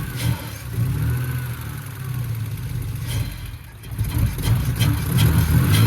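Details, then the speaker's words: BMW E46 with a replacement 2.5-litre six after the original had zero compression; deep, smooth six-cylinder rumble rising and falling cleanly with throttle blips, no knock or misfire. Normal running and revving. "God damn, sounded pretty good for a 2.5 little liter, but all right, guys."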